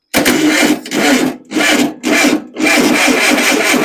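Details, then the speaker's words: Rebuilt engine's first start attempt, hot-wired with new battery, reused fuel pump: starter cranks in slow, uneven, dragging bursts with pauses; battery running low, fuel flow also suspected. "My battery's getting a little low. Sounds like."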